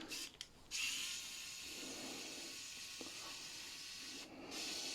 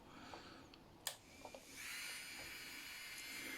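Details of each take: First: Strong 120II manicure handpiece before repair, rattling loudly: a high thin whirr that rises and sags unevenly with a rough gritty edge; bearings in very bad condition, carbon brushes worn away, dust-clogged from heavy use. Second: Strong 120II manicure handpiece after repair with new carbon brushes, bearings and parts: after a click, a quiet, steady high-pitched whir with no rattle or knock; the motor now runs smoothly.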